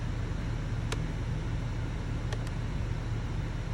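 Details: 2022 Chevrolet/GMC 2500 Duramax diesel idling after a fuel filter change. Low, steady diesel rumble with even rhythm and no knocks or misses: the engine sounds healthy.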